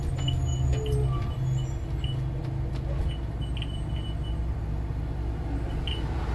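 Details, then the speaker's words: Work bus idling: short sharp chirps every second or two; side emergency exit alarm falsely tripping, owner suspects rubbing wire, not plunger; door must be reopened and shut before shutdown. "Not the plunger, maybe there's a wire rubbing somewhere, but it's definitely the side emergency exit, because after it's done this, I've got to go back open and shut the door once or twice so that I can turn off the bus without the alarm going off, because somehow the bus thinks that the emergency exit's open."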